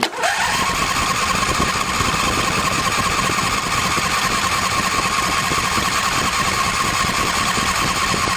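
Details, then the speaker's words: Husqvarna 2246LS V-twin mower after mouse-chewed plug wire and fuel filter replaced: starter cranks steadily eight seconds but never fires; a cut fuel line was sucking air so no fuel reached it, fixed and now runs. "Hey, guys. We got her running. Had a uh bad piece of fuel line right there. Bad fuel line. had a cut in it and was sucking air."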